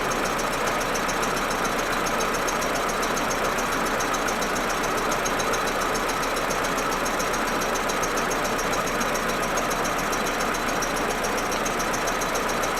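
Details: Audi A4 1.8T when cold: uneven, stuttering idle with irregular pulses and a rattly top end, smooth once warm. Plugs, coils, ignition amplifier and several broken vacuum hoses already replaced; injectors or carbon buildup suspected, cause not found.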